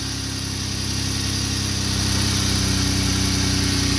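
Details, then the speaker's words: 2012 Jeep Wrangler 3.6 V6 after repairing the driver's-side exhaust leak at the rotted crossover pipe flange with split flanges and long bolts: steady, even, quiet idle with no ticking or puffing. "all right nice and quiet no more leaks"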